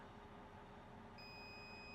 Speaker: If you have your brakes on for more than about 7 to 8 seconds, you'll hear a beep,